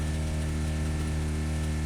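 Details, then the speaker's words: 1985 Honda VF700F V4 on its first start in about five years, after a carb rebuild and new pulse generators: a smooth steady hum that never drops back. Idle sits too high because the throttle plates were left open during carb sync. "so it's running up high I have the uh when I syn the carburetors I open the throttle plates a lot till expose that screw so I'll have to get in there and adjust the throttles down"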